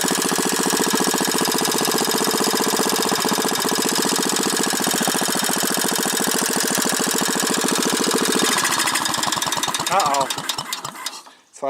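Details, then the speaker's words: Manco small single-cylinder engine during restoration, cold start: pops along fast and steady, then stumbles, slows and dies, running erratically and refusing to take adjustment; the owner thinks the carburetor needs cleaning. "I'm gonna have to probably clean that carburetor a little bit cuz she sure doesn't want to get adjusted but it's erotic"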